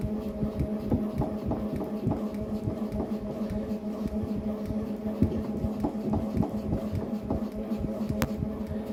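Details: Tacx Neo Bike smart trainer in ERG mode: dull knock about every half second over steady motor hum, in time with pedaling; tightening left crank arm didn't help, cause unknown.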